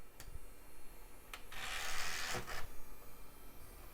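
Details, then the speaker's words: Toshiba CD-ROM drive in a '90s desktop, short ticks, then a loud rasping whirr as the disc spins up: horribly noisy, but it reads and autoruns fine. "Horribly noisy. That's very typical of a Toshiba drive."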